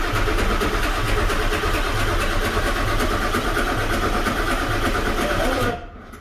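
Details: Auction-truck 7.3 Powerstroke diesel, no keys so started via the ignition switch, fuel refilled with the cap off and a fuel pressure gauge fitted showing fuel arriving; steady starter churn at about four compression pulses a second with no firing, cranks but won't start.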